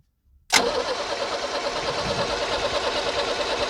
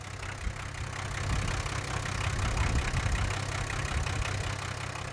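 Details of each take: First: 1978 International Scout II with Nissan SD33 diesel, sitting over 20 years, one injector line cracked: steady, rapid starter cranking with no firing and no fuel spitting; injection pump, clogged filters or sticking rack suspected. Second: 1978 International Scout II with Nissan SD33 diesel, sat over 20 years, now running after work, turbo audible: steady low diesel clatter at idle, about three or four beats a second, even and settling; normal diesel idle.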